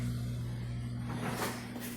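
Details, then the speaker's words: Dishwasher that was not draining and held standing water, after drain pump replacement; on drain cycle a steady low pump hum with water gurgling and rushing out, draining normally. "let's hit drain you hear that all right guys we are now draining you can see the water going down into the drain and this was full of water so got that pump changed and"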